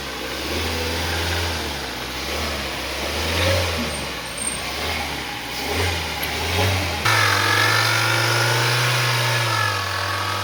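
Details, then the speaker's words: Gemini vehicle revving: steady tone stepping up in pitch with speed after seven seconds; alternator noise that comes intermittently, not continuously. "Friends, gemini ಗಾಡಿ ಒಂದು alternator noise ಬರ್ತಾ ಇದೆ. ಅಂದರೆ continue ಬರ್ತಲ್ಲ, ಬಿಟ್ಟು ಬಿಟ್ಟು ಬರ್ತಾ ಇದೆ."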